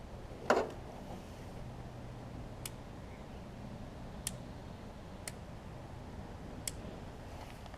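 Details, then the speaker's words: Lowe's riding mower, after battery conversion and a bad switch found: key on gives faint isolated clicks, the switch activating the anti-backfire solenoid, but no cranking; owner suspects a bad safety switch somewhere. "not right now for some reason might have worn out but will solenoid thing but it was clicking over there all right I can hear it I don't know if y'all can so the switch is activating at least that anti backfire solenoid but it won't turn over"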